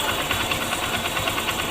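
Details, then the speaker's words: Honda Shine motorcycle idling after a timing chain replacement; even quick pulse and light mechanical hum, the earlier intermittent chain clatter is gone; normal idle. "अब आवाज बंद हो चुकी है"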